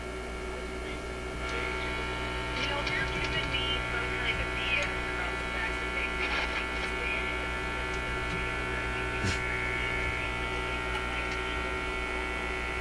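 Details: Zenith Y825 vacuum tube AM/FM radio on almost 120 V restricted power, previously working fine before six months on a shelf: steady buzzy low hum droning from the speaker under faint radio reception, source not yet traced.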